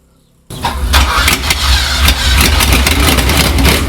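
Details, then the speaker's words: Ferrari 308 started without an exhaust silencer on open pipes: engine catches and settles into a loud, raw, crackling idle with heavy low thump. "I think it's gonna be horrific ly loud and probably won't actually sound that nice but but you never know"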